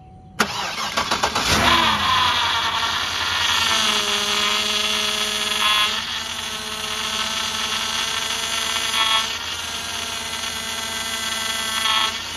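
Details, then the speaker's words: 2007 Cadillac DTS, freshly replaced power steering pump just filled; engine starts and idles with steady high whine rising as wheels turned stop to stop; air in pump, noisy until pump draws fluid in during bleeding. "It's going to be noisy, but it'll only be noisy till the pump gets the fluid in it."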